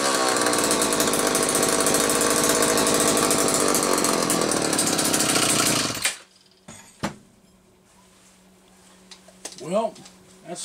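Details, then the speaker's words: McCulloch 1-40 chainsaw, no spark fixed, test run after tuning: loud buzzing two-stroke runs rough and uneven about six seconds then dies, smoking heavily; suspected bad crankshaft seal on one side or crankcase sludge, tuning believed close, unconfirmed. "I'm not totally sure what to make of this one it almost acts like it could have a bad crankshaft seal on one side but with how bad it's smoking and I know the tuning isn't that far off"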